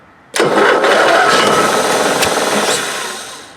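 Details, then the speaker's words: Onan Marquis 5500 RV generator in a 1998 Bounder, 20+ years old with about 60 hours, on starter fluid with air cleaner removed: bursts into a rough roar for about two seconds, then dies; may not be getting fuel. "Yeah, so it fires up a little bit. But may not be getting fuel."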